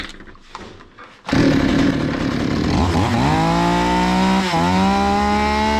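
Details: Zomax 5020 chainsaw that wouldn't run or take throttle; carburetor cleaned, still stalling. Catches after silence, revs climb unevenly and sag midway, hunting like it wants to die; carb mixture screws need adjusting.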